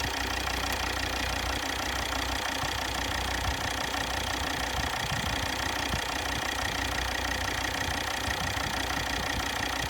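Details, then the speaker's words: Volvo XC60 D5 diesel, possibly Euro 4, idling while injectors are checked by ear with a long screwdriver; even sharp ticking about three per second, one injector possibly clicking louder, suspected faulty injector. "There's an old school way of checking injectors to see if they're all ticking properly. It's using a long screwdriver and your ear, and you can actually hear the injector clicking as it fires."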